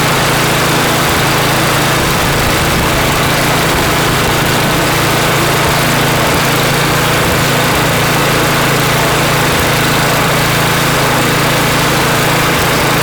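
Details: Customer snowblower after cleanup and reassembly: small single-cylinder engine holds a steady even putter at constant speed, no surging or hunting; running normally.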